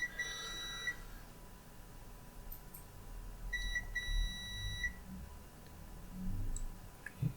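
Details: Short high beeps over a quiet room as a meter checks continuity on display-connector pins of an oven-reflowed Lenovo ThinkPad X201 motherboard with no LED backlight power. The pins beep as expected.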